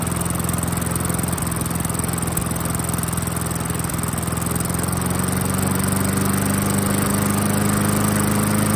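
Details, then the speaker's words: 1994 Murray 22-inch self-propelled mower, 3.8 hp Tecumseh TVS90, sat about 20 years and fitted with a replacement carb: a skipping low idle rises to a smooth, steady beat after adjusting the carb idle screw. Normal idle. "So you can hear that idle increase where it's nice and smooth now. That's about where we want it."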